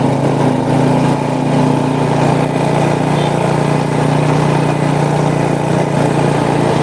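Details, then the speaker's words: Honda Supra motorcycle shipped in by cargo in a box, after workshop overhaul of a badly damaged engine; steady even hum at constant pitch, no knocks, ticks or rattles, smooth: normal running. "ini dia nih kalau masih ingat sekarang dengar suaranya ah halus kenyes-kenyes larinya juga udah enak"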